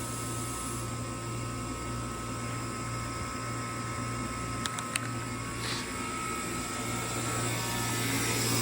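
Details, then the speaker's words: Ice-O-Matic ice machine about 11 minutes into its cycle as it enters harvest: the energized harvest assist motor gives a low steady hum with a couple of sharp clicks as hot gas passes the harvest valve, a normal harvest. "the actual Harvest valve is somewhere back here oh man I can't see it where you at it's right here and it's not particularly hot but I can hear the hot gas going through it"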